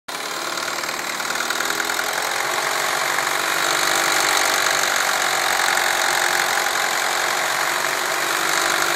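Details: Engine at steady idle with a harsh, busy upper tone and a loose tick about three times a second; an abnormal noise of unclear cause.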